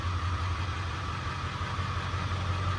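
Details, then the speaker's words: 2002 Ford F250 7.3 Powerstroke diesel that ran rough and smoked, idling with injector number 7 unplugged: slight uneven lope yet runs the same as before and stops smoking, confirming injector 7 dead. "And you might be saying, isn't it going to run like crap with that injector unplugged? It's actually running the same as it was before."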